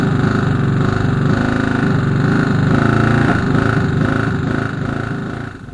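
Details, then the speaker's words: Moto Morini 250 2C twin after rebuild, carbs' balance pipe blanked off, not running at low revs: uneven metallic rattle about three or four knocks a second over rough running; something loose inside the bottom end is suspected. "all right so you can hear lots of racks right now I should have investigated again"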